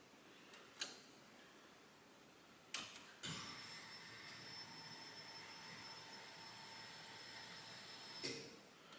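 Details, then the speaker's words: Ford Mustang after full restoration, fuel pump primed to check for leaks: quiet steady high whine with faint hiss between clunks, pump diaphragm audible, as fuel pressure builds normally. "you can hear it there it's getting pressure"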